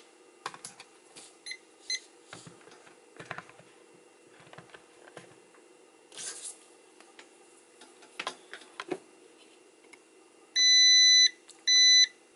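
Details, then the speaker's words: Frigidaire dehumidifier compressor relay that kept sticking (compressor would not shut off with the fan off): continuity meter on the removed relay gives two solid beeps. The relay contacts are welded shut. "you can hear now these contacts are welded and here's a close-up of what these failed relay contacts look like"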